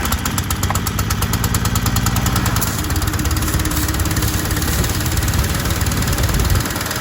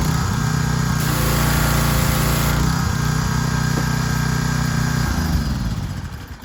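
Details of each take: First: Troy-Bilt 2700 PSI gas pressure washer with auto choke, tested with water on after a pump head swap and only a red tip fitted: small engine chugs hard, then bogs and stalls under load; unloader misadjusted and needed adjusting at its jam nut. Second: Troy-Bilt 2700 PSI gas pressure washer after pump head replacement and unloader adjustment (previously stalled); small engine runs at fast, even beat, holds steady without stalling, then winds down; washer running properly.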